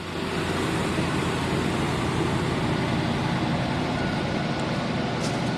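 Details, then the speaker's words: 1979 Hurst Olds T-Top V8 idling on old stale gas: steady even low rumble, no knocks or misses; runs and sounds good. "Runs good. Sounds good. Stinks like old gas, but it's still running on the old gas."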